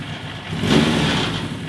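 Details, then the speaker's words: 1980 Suzuki GS1000S Wes Cooley, reassembled after carburetor work: uneven idle dips and surges, faltering and stumbling as revs sag, nearly stalling, won't hold idle; fuelling fault, carb imbalance suspected, carb sync next. "See how it kind of starts stumbling? So if it gets gets a little low,"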